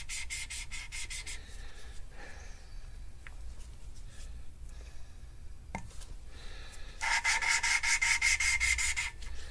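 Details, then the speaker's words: Subaru EJ25 cylinder head off the Outback engine, valve lapped with compound: rhythmic scratchy rasp from twisting the valve, loud after repositioning then softening as the seat laps in. "And notice after you do that, you'll hear a little more grinding, and it gets quieter as I go."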